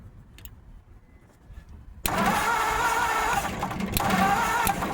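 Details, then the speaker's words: 1950 Ford F1 truck: after a pause the starter churns the engine evenly, but it never catches. All spark plugs were done and the coil isn't getting hot; cause unknown. Crank, no start. "So should be doing something. Put a little bit more. Maybe it doesn't need to be choked."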